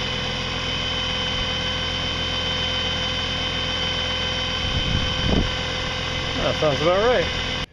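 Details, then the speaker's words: Used geared motor, salvaged from the garbage, after being opened and reassembled: steady hum with constant high whine and gritty gear roughness; runs about right, leftover noise from rough worn gears. "part of the noise is just the rough gears down there cuz uh this was a used thing it was actually in the garbage"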